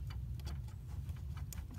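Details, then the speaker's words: 1978 Chevy Van, newly installed voltmeter with accessory power on: soft, light, slightly irregular ticks about four or five a second over a quiet hum; normal gauge needle clicking. "can hear the voltmeter needle clicking, and because the accessory is on, you'll get power to that."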